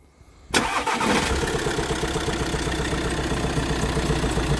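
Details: Volkswagen Crafter 2.0 L 16-valve diesel, timing problem suspected, oil a jade green color: catches and idles with a heavy, dull thud under the clatter, rising with throttle; engine knock.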